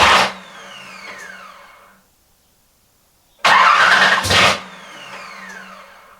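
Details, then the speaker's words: Engine with a newly installed wiring harness (pins re-pinned from an LS2 layout), first start attempt in about a year and a half after rewiring the crank angle sensor to sensor ground: two bursts of cranking with sputtering attempts to catch, never fires; owner suspects coil wiring. "all right guys as you can tell we didn't have any luck this morning it is definitely getting closer it is trying"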